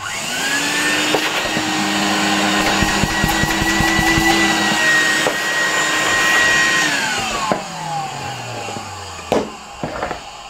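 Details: 1973 Zelmer 01A vacuum cleaner, reassembled after cleaning, type 34 motor, supply probably near 220 V: steady even motor whine at constant pitch about seven seconds, then clean wind-down with no grinding or rattle; healthy motor.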